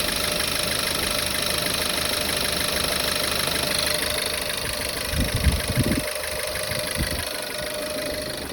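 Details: Volkswagen Tiguan 1.4, cold start in the morning: rough uneven idle with irregular tapping about three a second; misfire on cylinder 1 with detonation knock, possibly leaking intake hoses causing backfires.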